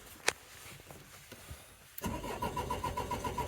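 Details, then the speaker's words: 2004 Renault Trafic 1.9 dCi diesel, crank-no-start, booster pack on battery: starter now turns engine over faster with even churning beat, almost catches but never runs. "oh it sounds like a it's turning over a lot faster now oh it almost went then"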